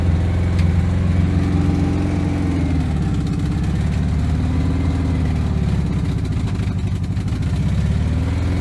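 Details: 1970 VW Bay Window bus, first run after sitting about ten years: steady, even low rumble at idle with no knocks, misses or stumbles; running smoothly.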